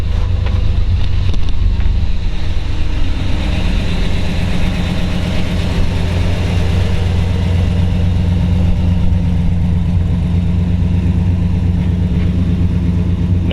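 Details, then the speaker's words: 1955 Chevrolet 210/Delray resto-mod, mild-build 350 V8, 700R4 automatic, idling with oil pressure about 60 psi: deep, even, mellow burble, steady rhythm, no knocks or misses; healthy smooth idle, runs cool. "mild build, kind of car you can drive. Runs cool as a cucumber."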